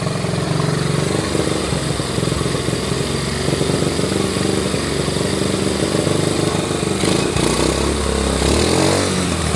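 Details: Honda Trail 70, hard to start, carburetor already rebuilt: intermittent rough grinding with a rising supercharger-like whine on the left side when revved; cam chain off its guide roller, chewing metal.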